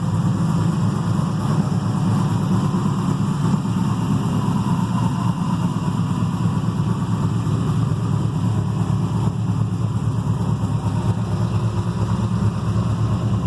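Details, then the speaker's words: Carbureted 6.0 LS V8 with mechanical fuel pump and distributor, first run after machine work, slightly heavier pistons, solidly frame-mounted: steady, deep, smooth idle burble with no knocks, misses or vibration; healthy. "i figured if there's any uh uh balance issues it should vibrate your teeth and it doesn't it seems like it uh is nice and smooth"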